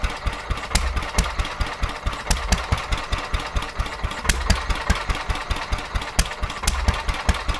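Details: Petter A11 (A1 series 2) single-cylinder vintage stationary engine, owned 12-13 years, sat damp in a container for four years; slow thumping, irregular hunting beats of uneven strength; rough uneven running, owner suspects fuel starvation from dirt in the carburettor.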